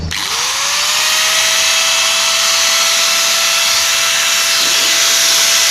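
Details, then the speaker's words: Hand angle grinder after its worn bearings (rear bearing) were replaced: quick spin-up to a steady, clean high whine with no rumble or rattle. It now runs smoother with more power; the grinder had sounded rough before. "Mantap guys, suaranya jadi halus, tenaganya juga bertambah."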